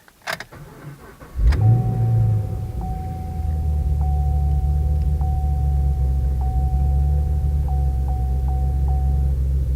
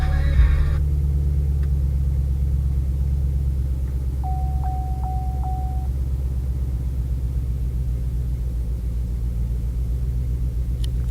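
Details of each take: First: 2013 Chevrolet Camaro LS3 after new NGK TR6IX spark plugs and refitting the forgotten coil boot: cranks, catches quickly and settles to a steady, even idle with no misfire; runs satisfactorily. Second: 2013 Chevrolet Camaro LS3, first start after swapping to NGK TR6IX spark plugs, with one ignition coil boot left off: rough loping idle with ticking, running extremely poorly and rich, one cylinder misfiring.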